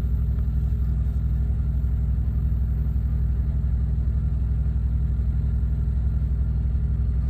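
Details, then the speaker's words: Thermo King APU on a truck, heard outside after the air conditioning was selected and fan turned up: low, steady diesel thrum with an even beat and no misses or knocks; APU kicked on and runs normally. "if I turn that to the left for the air conditioning did you hear it just started turn the fan up a little bit so outside the Apu kicked on"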